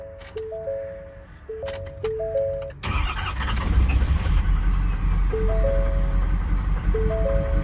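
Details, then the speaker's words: 2019 Ford FX4 long-bed diesel truck with high mileage, at auction: short crank, catches and settles into steady diesel clatter at idle, music over it; normal diesel start and idle. "Oh, it's a diesel, also. You want to hear how the diesel sounds? All right, here we go."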